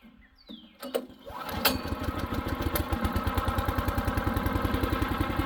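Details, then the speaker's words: Brand-new Harbor Freight Predator 212 chipper shredder that will only run on choke, here on about 3/4 choke after fresh oil and ~10 minutes' running: rough start, then a steady single-cylinder thump of about 3.5 beats per second. "so get this thing started up and show you what it's doing as far as running on choke"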